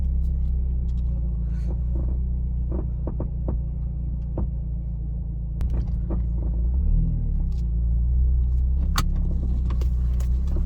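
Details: Vauxhall Astra GTC VXR driving: low road rumble with scattered irregular dull knocks following the road surface, from the front driver's side, present since purchase. Owner suspects a cracked front arm bush; cause not confirmed.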